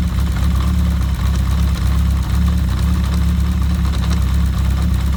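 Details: Kawasaki GPz750 Turbo at steady low idle with a faint fast light rattle on top; abnormal cam chain noise.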